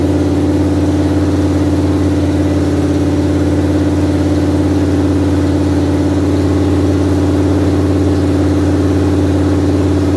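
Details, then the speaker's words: 1973 Dodge Dart engine revived after unknown years sitting, idling: smooth, even idle with steady low drone, no misses, knocks or ticks; engine running healthy. "well I guess I'm headed home after a successful day and I just wanted to let y'all know how everything went I mean obviously you heard the engine run it ran really great"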